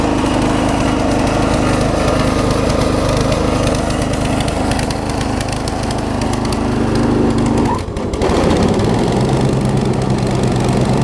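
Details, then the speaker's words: Circa-2015 Snapper rear-engine rider, push-mower-type engine, after carb clean, under blade load: speed hunting and stumbling with a brief dip; a little water in the fuel suspected, may drain it; rough running. "still doesn't really want to run right but it's still running"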